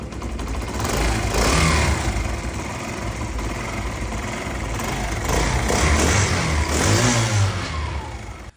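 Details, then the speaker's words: Motorcycle single-cylinder engine after fitting a hard cam chain tensioner spring to cure engine noise: even thumping rises and falls cleanly with the throttle, no knock or rattle; normal running, noise fixed. "देख सकते हैं माशा्लाह से engine की आवाज बिल्कुल okay हो चुकी है।"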